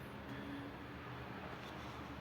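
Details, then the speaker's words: 2013 Honda Accord, previously no start, after repairing a broken ground wire: quiet steady low hum at an even idle with no hunting, stalling or misfire; engine now runs normally. "İndi avtomobilin səsindən də hiss olunur ki, yəni avtomobil xoda düşdü."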